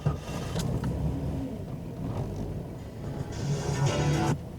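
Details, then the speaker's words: 1997 Jeep Cherokee 4.0 inline-six, cold start first thing in the morning. It settles to a slow, lazy idle near 500–750 rpm, almost stalling, and needs throttle to keep running. It runs fine once warm; a faulty idle air control valve is suspected. "Foot's off the accelerator and we're just barely above 500, maybe 750. I have to sit there with my foot on the accelerator, just kind of feathering it a little bit to keep the engine running."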